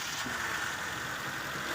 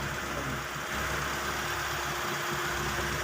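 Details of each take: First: 1995 Mitsubishi Lancer, carbureted petrol engine running after fuel pump replacement, air cleaner refitted: steady raised idle because the carburetor throttle no longer returns; earlier it spat fuel out the top. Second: 1995 Mitsubishi Lancer "itlog" petrol engine, long stored and not starting, after fuel pump replacement (old pump delivered no gasoline despite power): now idles steadily with an even, smooth hum, no misses or knocks; carburetor still to be overhauled.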